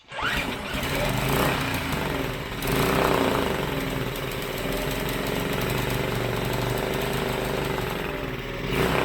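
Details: Briggs & Stratton five-horse four-stroke air-cooled mud motor revived after sitting; uneven, stumbling single-cylinder idle that surges and sags, earlier backfiring; forward/reverse and lower end fine, owner suspects carburetor needs cleaning.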